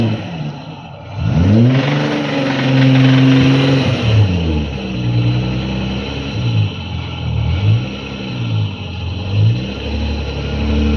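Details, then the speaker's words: JDM 1989 or 1990 Nissan 300ZX twin turbo manual, right-hand drive, ex-track car, cold winter night, burnouts: rough revs rising and falling with a heavy knock under the exhaust following engine speed; knocks badly, rod knock. "She don't sound good, but she survived. So the engine knocks, hey? Yeah. Badly. For real bad."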